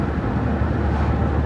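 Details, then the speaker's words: Homelite Super XL-925 82cc vintage chainsaw with governor blocked, after carburetor tuning: high-revving two-stroke cutting wood steadily, slight burble and four-stroking when eased off the cut; tuning sounds about right. "if i really dig into the wood she digs in good if i pull off just a little bit you'll hear it start four-stroking"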